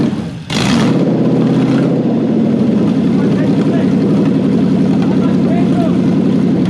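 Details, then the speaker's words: Toyota 1UZ-FE V8 on a test engine, first start with a Link Monsoon ECU and coil-on-plug loom for a Lamborghini kit car: fires on the first crank into a slightly lumpy but healthy idle that needs a little more work. "oh so that was lovely a little bit more work in the idle but beauty"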